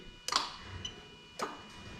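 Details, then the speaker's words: A/C magnetic clutch relay test on a new plug-and-play harness for a 1JZ-GTE VVT-i JZS171 engine in an Altezza RS200; two crisp metallic clicks about a second apart as the compressor clutch on the engine engages and releases, normal. "i think you can actually have the clutch engaging on the engine"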